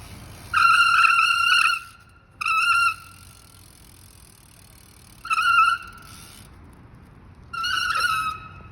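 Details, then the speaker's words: Bicycle brakes giving four loud, piercing high squeals of about a second each when applied; rider asks what causes the very loud squeal. "Может кто-то знает У меня очень сильно скрипят тормоза"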